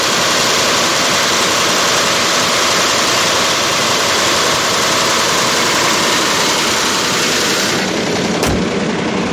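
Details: 2005 Range Rover with BMW M62-family V8: timing chain rattle, a dry metallic rattle about three to four times a second. Timing fault code persisted after replacing VANOS, chain and tensioners; the cause was oil-filter cardboard-like particles clogging the two check valves feeding the VANOS.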